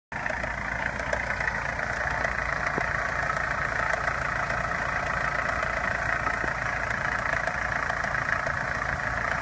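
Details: Opel Omega A Caravan 2.0 at idle, owner hears two knocks, one diesel-like and one tapping: light, uneven tapping of roughly three or four knocks a second; source unknown.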